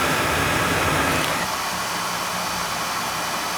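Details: Oil burner with tankless coil and outside chimney, limits set at 180, fired during annual service to check draft: ignition whoosh settling into a steady, even roar with no pulsing or rumble; firing cleanly.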